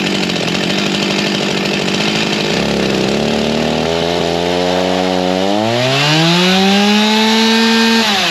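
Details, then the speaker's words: G366 chainsaw on a dyno after a big-carb swap, still warm, tuned to about 13.2. Drones unevenly and revs climb slowly and hang instead of snapping up: bogging with no power, from a major build mistake. "so what's happening here really shouldn't be possible but I'll let you watch me try and struggle and tune this thing in a little bit longer"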